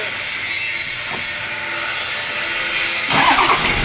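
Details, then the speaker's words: Toyota Land Cruiser 70 series diesel that cranked but would not start, after fitting a new 24-volt shut-off valve: a steady hiss, then the engine catches at about three seconds and settles into an even run; fixed. "ayun kumanda Ayun patya Okay start uli Ayun Okay na mga boss"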